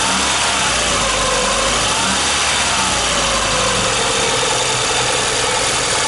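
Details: VAZ 2115 1.5i (2111) engine running at 60–70 °C: light tapping comes and goes, appearing as the engine warms up; intermittent knock of unknown origin.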